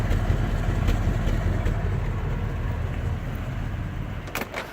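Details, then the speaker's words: 1964 Corvette V8, 58,000 miles, cold after long storage, jump-started, old-smelling fuel: deep lumpy V8 idle with uneven beat and occasional stumble; slight misfire at idle. "fuel smells kind of old it's got a little bit of a miss can you hear it"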